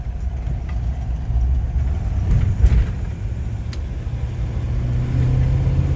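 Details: 1953 Buick Roadmaster Model 79R woody wagon, cold day, accelerating to about 50 mph indicated (about 53 actual): smooth even low rumble building steadily, no knocks or ticks; healthy with power in reserve.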